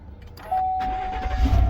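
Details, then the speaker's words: 2019 Chevrolet Silverado after replacing cracked push-button ignition switch: chime, short crank, engine catches and settles toward idle; starts normally. "and crank it up. Good to go."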